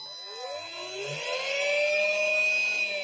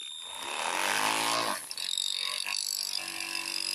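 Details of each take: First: Mardave mini speedboat, powered by battery and ESC: the small electric motor whirs up and settles into a steady, clean high whine. It is running normally, though in reverse at first. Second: Vintage MFA Stingray model speedboat brushed motor, serviced last year, which smoked on the water with the ESC cold and the LiPo warm: a whine up then a harsh buzzy rattle; the motor is dying and due for replacement.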